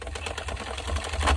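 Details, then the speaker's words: Sentro 22 knitting machine, hand-cranked after a month unused: clatters along, then an uneven catch and skip; owner suspects worn internal plastic gear slipping with nothing to grip, before replacement gear and handle fitted; drive gear slipping. "what I've heard people say is that the plastic gear on the inside wears down so much that it just starts slipping um that it has nothing to grasp onto"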